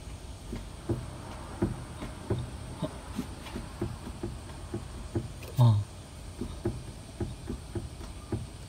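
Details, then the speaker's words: Suzuki Alto on a lift, knocking over bumps and manholes: rocking the left inner tie rod by hand gives dull hollow clunks about every 0.75 s; play in the left rack-to-tie-rod ball joint, outer tie rod end fine; rack replaced with rebuilt unit. "4の原因はおそらく左のラックとタイロッドのここのボールジョイントここにガタが出ているはいこの型ですね"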